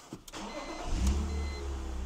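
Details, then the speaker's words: $500 BMW E46 330i after valve cover gasket (folded at cylinders 2–3) and idle air control valve work, running about a minute: brief clatter then steady even low rumble, no misses or knocks; healthy idle, running great. "I've been running it for a minute. It's running great."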